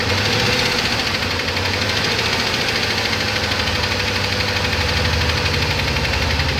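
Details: 2007 Trailblazer LT V8, 119,000 miles, idling after an unsuccessful motor flush: steady fast light ticking over the exhaust note from a collapsed cylinder-deactivation lifter roller slapping the cam; DOD eliminator kit, cam, lifters and timing chain ordered.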